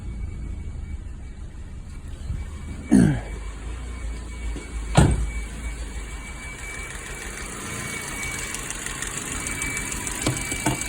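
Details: 2006 Ford Focus petrol engine idling roughly with the check engine light on: uneven idle with a thin steady whistle from a vacuum leak, a holed PCV hose.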